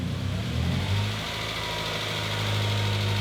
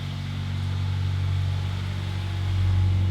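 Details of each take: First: 1993 Honda Prelude, 5-speed manual, 223,000 miles, started after two years sitting: smooth, steady hum with no knocking or misfire but RPMs slightly high, owner suspects clogged EGR, bad plugs or bad fuel; normal running. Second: 1993 Honda Prelude, 5-speed manual, 223,000 miles, first start after two years sitting: steady smooth drone creeping up, idling high; suspected clogged EGR, bad plugs or bad fuel.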